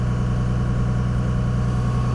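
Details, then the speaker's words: 2002 Dodge Ram 24-valve Cummins HO with VP44 injection pump and six-speed manual, cold start with high idle kit: deep, even diesel drone holding a raised idle near 1200 rpm, no knocks or hunting; cold high idle working. "see we're roving up and we're holding 12200 RPM"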